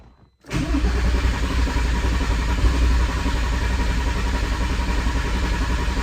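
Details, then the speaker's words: VW R32 that sat outside a long time, cranked after fuel lines reconnected and fuel restored: steady low rumbling crank runs for seconds without a clean catch, engine seeming to try but fail to fire. "That was weird. That was the first time I heard like either it kind of try to or not. That was weird."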